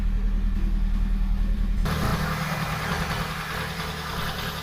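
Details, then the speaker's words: 2004–2007 first-gen Kia Picanto petrol engine started after spark plug cable replacement: smooth idle with an even low rumble; no misfire or vibration. "all right uh everything is back at their place so let's fire it up all right it's up and running sounds good to me"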